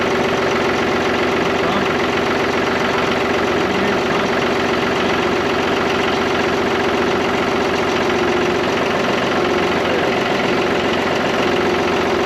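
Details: John Deere 5203 diesel tractor with 512 loader, 740 hours, bought with a hydraulic problem and milky oil: after an oil and filter change, a steady diesel clatter at even idle with no surging or grinding. Running normally, fixed.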